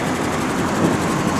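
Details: 1995 Cadillac Sedan DeVille, a scrapyard survivor spared from crushing, idling: a brief, steady, low hum that is smooth and even, with no knocks or misses. Normal idle.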